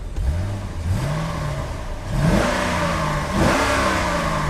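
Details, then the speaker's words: Chevrolet C6 Corvette V8 after DIY water pump, thermostat housing and belt replacement, run to fill the heater core with coolant: blipped up and down smoothly with no knocks, ticks or squeals; running normally. "I'll run it a little bit more, try to get the heat running inside. That way I can make sure that the whatever heater core is all filled up with coolant."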